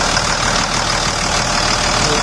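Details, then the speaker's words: 2000 Dodge Ram 2500 Cummins diesel at about 210,000 miles, fitted with a 65-inch non-AC serpentine belt that bypasses the AC compressor pulley: crisp, even diesel clatter at idle with no belt squeal or chirp; normal idle. "So I'll go ahead and start it here now. Let's go right over here. Sounds good."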